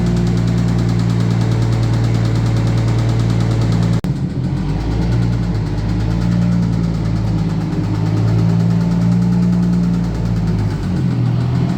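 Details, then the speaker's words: Red 1990 Toyota Supra turbo manual being parted out: idling with a faint, steady knock about four per second under the low drone; owner pretty sure it's a rod knock, possibly a valve problem. "this car has a rod knock might be a valve something wrong with the valves or something like that but we're pretty sure it's a rod knock"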